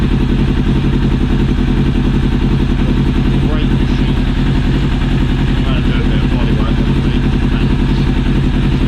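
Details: Yamaha Thunderace motorcycle engine running after top-end rebuild with new rings, head gaskets and reseated valves, carbs and fuel pump refitted: strong, even, steady pulse with no ticking, knocking or misses; runs cleanly and sounds healthy.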